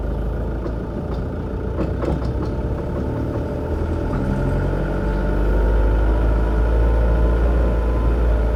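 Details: Mk6 Ford Transit 2.0 diesel FWD, tie-rod ends recently replaced; regular low thudding knock, roughly three to four per second, from the front wheel(s) over the running diesel.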